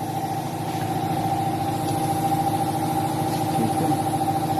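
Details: 2013 Chevrolet Malibu 2.4 checked for a misfire under DTC P0300, with ignition coil number 3 flagged and a vibration complaint when driving: a steady, even idle with a smooth, regular firing beat and no stumble or skip.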